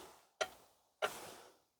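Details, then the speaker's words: Ruston PB8 engine turned by hand during rebuild before first start: only soft light clicks of lifters pushing in near silence; valve gear quiet and healthy. "Look how quiet everything turns. All you can hear is a little bit of where the lifters are pushing on the..."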